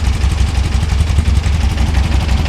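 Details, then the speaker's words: VW Beetle with a newly installed dual EMPI carburettor kit, idle screw turned in one full turn before syncing: even, steady low putter with smooth regular firing and no ticks or misses; a clean, quiet idle. "I don't know if it's getting enough air. There it is. Right off the bat, sounds good."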